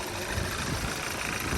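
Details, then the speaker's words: 2012 Audi A4 quattro 2.0T, 113,000 miles, cold-start raised idle, flashing check engine/EPC light: lumpy, stumbling idle with visible engine shake; catalyst-damaging misfire, one dead cylinder from low compression. "so we got this shake here you can see the engine shaking it's missing on a cylinder"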